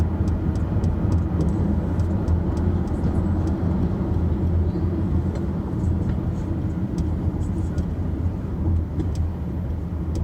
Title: Rattling Noise 1